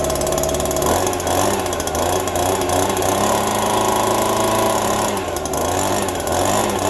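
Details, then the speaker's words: Small two-stroke yard tool still cold after a December cold start on a little fresh gas, owner hoping a fuel drip doesn't leak it dry; steady buzz with slightly wandering pitch, no stalling or sputter, running normally. "Good to go, but of course it's still cold. Hopefully that don't leak all out, but it started and ran, everything fired up."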